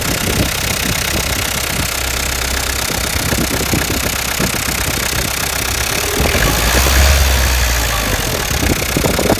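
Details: 2007 Peugeot Partner 1.9 diesel (DW8B) idling: sharp regular knock about four per second over rattly idle, caused by faulty injector; fixed by replacing with a used injector.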